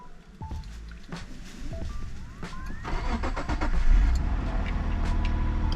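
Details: Subaru Outback 3.0 flat-six (209 hp), cold start on 5W30 GM oil after about 600 km: starter whirs, engine catches and settles into uneven light tapping about three a second; owner suspects timing chain and tappets, cause unclear.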